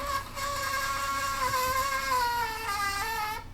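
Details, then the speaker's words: Commodore disk drive reading old floppy disks: steady high squeal sagging slightly in pitch, like fingernails on a chalkboard, sign of contaminated heads; remove the disk and run a head cleaner with alcohol. "now one big Telltale sign that you're having a trouble with contaminated heads is you start to get a squealing"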